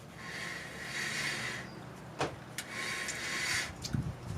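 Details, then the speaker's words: 2003–2011 Lincoln Town Car rear brake right after new discs and pads were fitted and the caliper was bolted on: a soft, hissy scraping sweep comes and goes as the wheel turns. Pads are rubbing; owner suspects further brake maintenance is needed. "and if you listen to this, you can actually hear my brake pads rubbing against the caliper when they really shouldn't"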